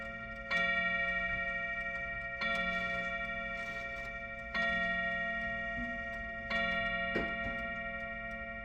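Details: Chiming clock after its first service: four loud bell strikes about two seconds apart, each ringing and fading evenly over a faint steady tick; keeps time, may need adjusting; normal hour chime.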